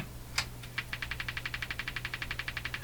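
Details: Hammarlund HQ-180 receiver, on AM and single sideband: a steady run of sharp pops about four per second over a low hum. Motorboating; suspected AVC circuit fault, possibly a bad capacitor.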